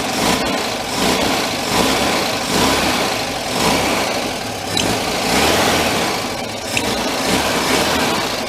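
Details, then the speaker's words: 1959 VW Type 2 truck, air-cooled, after a year sitting in a museum: throttle blips sag and stumble; accelerator pump at the back of the carburetor leaking fuel from its center post and loose, causing a flat spot. "we have a fuel leak you look at the that's the accelerator pump in the back if you watch that"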